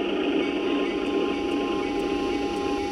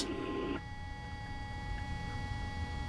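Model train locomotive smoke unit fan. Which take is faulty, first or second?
first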